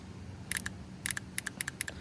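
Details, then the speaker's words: Lexus SC400 transmission shift solenoid bench-tested with battery power: crisp, sharp clicks in quick pairs as it switches on and off, showing this solenoid works. "So, you can hear that one clicking. So, this one does work."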